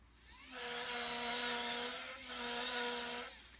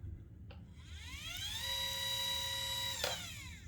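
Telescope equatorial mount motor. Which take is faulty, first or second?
first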